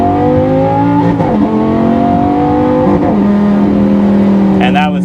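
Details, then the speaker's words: Single-clutch automated manual (Lamborghini E-Gear type) downshifting under braking with foot on throttle: loud engine drone steps up sharply at each quick, snappy downshift; normal shifting. "Now with downshifts, same sort of deal. You can be on the throttle, still nice and snappy for a downshift."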